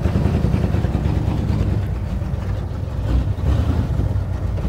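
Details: 1937 Ford flathead that sat a year, very loud, restarted to drive to the upper garage: low, uneven rumble with stumbles and surges instead of a steady beat, rough running, likely misfiring.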